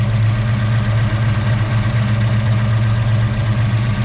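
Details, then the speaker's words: 1961 Ford Falcon with a 5.0L V8 swap, T5 five-speed and Holley Sniper fuel injection: steady low idle with the loud injectors' light, fast ticking on top, which is normal; a healthy idle. "So there's our small block. You can hear the loud Holley Sniper injectors firing."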